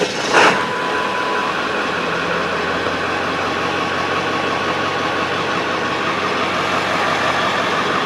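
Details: 1999 Ford F-350 7.3 diesel after glow plug relay replacement (Motorcraft DY860): short crank, quick catch, even diesel clatter settling into steady idle with no stumble or miss; normal start and idle, glow plugs heating again.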